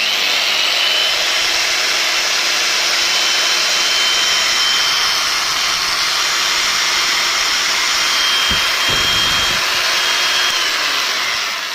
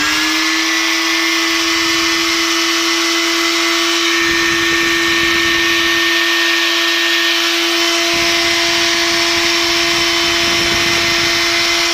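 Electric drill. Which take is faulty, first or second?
second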